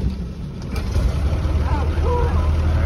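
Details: 1920s Rolls Royce Springfield Ghost just started after pumping up fuel pressure and switching on both ignition systems: deep, soft, even rumble with no knocks or misses. Normal idle.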